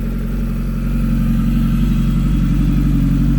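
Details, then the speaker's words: Kawasaki ZX-14R after DIY Quantum fuel pump upgrade and fuel filter replacement, primed and started: engine climbs to a strong, even high-rpm drone without stumbling or cutting out; strong exhaust back pressure. "So at the higher RPMs, it shouldn't be cutting out. Man, you can feel that back pressure all the way over here."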